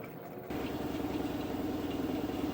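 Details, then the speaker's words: LG washing machine after rotor replacement: smooth hum settling into steady mid-pitched drone, no knocking, no loose rear-screw noise; normal spin cycle, fixed. "Now you see it's working. You don't hear no noise. I don't hear the screw in the back coming loose, and I think we fixed it."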